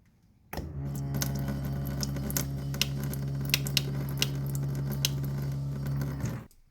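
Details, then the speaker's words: Jayco trailer drinking-water pump recorded right at the sink, droning loudly with a deep, steady buzz like a power tool; the noise is blamed on how the plastic supply hose is routed under the trailer floor. "we have found that it is very useful and we use it every day however it is very noisy"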